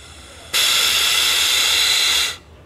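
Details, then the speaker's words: Yamaha XV 250 Virago vacuum fuel tap rebuilt, bench-tested with a vacuum gun: on releasing vacuum a steady high hiss holds about two seconds then cuts off; air still leaks past the closed tap, owner suspects the diaphragm spring rather than the repair kit. "liberar o vasco vai tampar mas ainda está passando um pouquinho de ar talvez o problema não seja exatamente o reparo"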